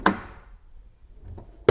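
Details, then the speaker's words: Rover 75 V6 door latch after mechanism was removed, old gritty grease cleaned out with brake cleaner and relubricated with light penetrating fluid: two solid single thunks, no rattle or bounce; latches properly every shut. "and now the door does seem to latch itself properly every time I shut it"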